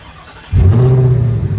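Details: 2025 Ford F-150 Raptor with phone-controlled starter kill switch and GPS fitted, switch disarmed: silence, quick crank, V6 settles straight into steady even idle; starts cleanly with no hesitation.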